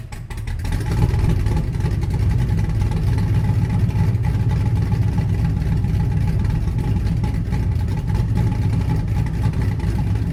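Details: Blazer V8 with a Summit Stage II truck cam and Holley Terminator X Max EFI, no transfer case fitted yet: it catches and settles into a deep, lumpy, loping idle. Idling smoothly and the AFR looks good; normal cammed sound.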